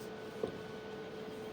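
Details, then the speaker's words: UV/Vis spectrophotometer after changing the slit width to 0.1 nm in instrument parameters: quiet, steady low hum with a faint higher tone, no clicks or grinding; normal instrument operation. "Click OK. You'll hear the instrument humming. Give it a second."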